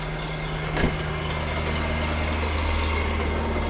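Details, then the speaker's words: 1998 Jaguar XKR supercharged at idle: fast irregular ticking and slapping about three per second over steady hum; seized belt tensioner pulley not spinning, letting the chewed-up belt flap. "you see the belt is chewed up and you see that right down there on the tensioner that is not spinning"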